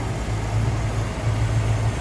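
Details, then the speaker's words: 1976 Lincoln Continental 460 V8 with the hood open: a deep, even idle rumble with a steady beat and no knocks or misses, smooth and healthy. "all right here you go it's the 460. you can see very smooth running sounds good"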